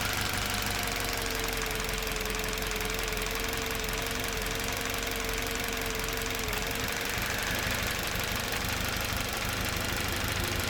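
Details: Toyota Verso 1.8 2ZR-FAE Valvematic petrol/LPG, 180,000 km: engine shakes with uneven idle, irregular tapping and occasional stumble, cylinder 4 misfires while driving; compression ~13 bar, plugs, coils, injectors ok, no intake leaks or codes, spark advance varies 0–8; cause unknown.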